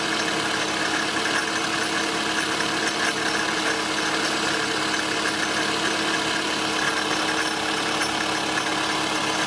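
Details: Toyota Estima ACR30: a fast, steady, high metallic shaka-shaka chatter at idle, much louder with revs. The noise was traced to the pulley and tensioner, with the AC compressor failed and leaking oil; fixed by fitting a rebuilt compressor.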